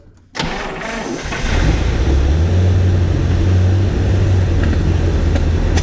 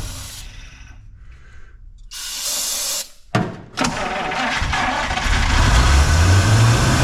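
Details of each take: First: 1953 Buick, idle when first run on its own tank after fuel system restoration, untouched carburettor, unrun for 30 years: starts after a short crank and settles into a steady, even low idle with no misses or knocks; fuel pump possibly weak. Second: 1953 Buick during fuel system restoration, first attempt on its own fuel supply from a dirty tank: starter churns steadily about three turns a second but never catches, gasoline just starting to rise through the filter; cranking, no start from fuel starvation.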